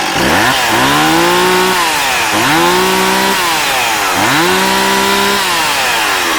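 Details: Stihl MS260 chainsaw with 18-inch bar and brand-new chain, ex-fire department, in good shape: clean blips from idle to high revs and back about every two seconds, revving crisply and evenly, a healthy saw.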